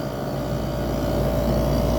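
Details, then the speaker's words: Fedders window air conditioner with a rotary compressor drawing about 10 amps: steady low hum with constant buzzing tone, no rattles or clunks, quieter once head pressure builds; compressor running normally. "sounds good though I really like the sound of this"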